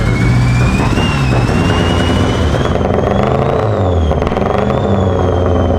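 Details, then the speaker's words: Mitsubishi Evo wagon, sat over a year, just re-timed, 2200cc injectors: fast idle after a cold start with an uneven, thumpy stumble; a misfire not clearing as usual. Owner suspects the injectors. "yeah is it misfiring clears up it's an EVO thing it'll clear up"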